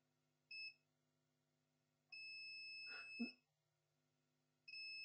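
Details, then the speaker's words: Acer Aspire E1-571 no-power board, continuity test on the first MOSFET at the charging input: clean high-pitched beeps, sustained tone drain to source; the MOSFET is shorted. "this first MOSFET is gone. The first MOSFET is shorted. Let me see if it's shorted to ground. But drain to source is beeping."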